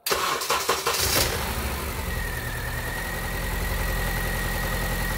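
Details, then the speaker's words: 2010 Honda Civic 1.8 L automatic with a P0303 code: engine catches, then settles into an uneven, chugging idle with a lumpy beat as a cylinder drops out from a bad coil. Misfire rough idle. "Now, as you can see here on camera, this thing is running like dog shit. You can also hear it chugging away."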